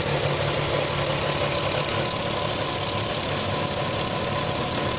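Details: Audi TT 3.2 V6 petrol at idle: fast, light ticking a few times a second from the front of the engine; owner doubts it is the timing chains.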